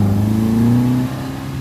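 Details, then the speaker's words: 1952 Singer, warmed up and driven about five miles after fixing a dripping accelerator pump: clean, smooth pull with a steadily rising note, no more exhaust popping, much more responsive. "runs so much better no more popping through the exhaust from that dripping accelerator pump seems like it's much smoother"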